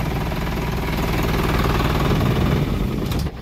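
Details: Isuzu NPR truck with a 24 V system that was hard starting because of a leaking battery, after battery replacement: starts with one click, steady diesel clatter at idle with an even low rumble, then a clean shutdown. Healthy idle.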